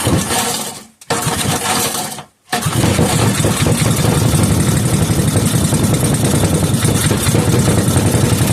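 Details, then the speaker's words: Rebuilt 5hp Briggs and Stratton single, fuel added to cylinder and carburetor, no muffler: after a couple of false catches it fires and runs loud and steady with a rapid open-exhaust bark and no miss, then shut off by kill wire. "What do you know? She's running. I used the kill wire to shut it off."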